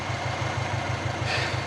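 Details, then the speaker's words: Big-turbo Subaru Forester with external wastegate cranks evenly without firing because the fuel pump has no power; owner first thought it was flooded or out of fuel, added five litres of 98, and suspects wet plugs. "put five liters of 98 in there and yeah it's still cranking I think I've wet the plugs"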